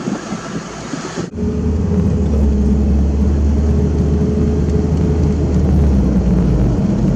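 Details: Old $500 Toyota Corolla started after new fuel filter and air filter were fitted: catches at about one second and settles into a steady, even low idle with no stumbles or knocks; normal idle.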